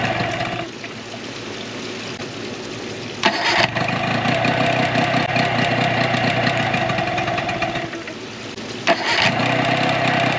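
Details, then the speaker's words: 2004 Tohatsu 9.8 two-stroke long-shaft outboard after general maintenance: steady even idle with brief dips and surges. Plug boots pulled while running confirmed both cylinders firing despite initial doubt; normal idle. "what you guys saw me do there is I pulled the spark plug booties as the motor was running. Because to me at first it sounded like it wasn't hitting on both cylinders, but it was."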